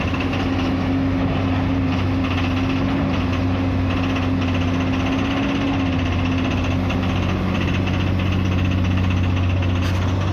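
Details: Komatsu PC210-8 excavator diesel engine with an abnormal sound and heavy white smoke: a rough, uneven knock over a deep steady drone. The cause is injector failure.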